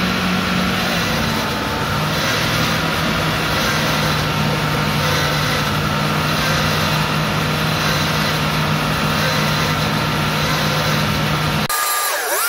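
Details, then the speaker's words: Land Rover Discovery 2 with freshly rebuilt Rover 4.0 V8, first start: coarse constant groan with a low hum from the power steering pump, which was rebuilt with a new gasket and ran low on fluid; pump aerating. "there was a horrendous sign you i'm sure you heard it and you could see me looking down in that direction that was the power steering pump i had it apart i cleaned it i put it back together with a new gasket and it was empty of fluid"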